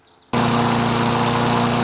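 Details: Craftsman self-propelled mower after fitting a threaded exhaust pipe muffler into the manifold in place of a broken muffler bolt: snaps straight into a fast, steady buzzing run, even with no popping or sputter; healthy.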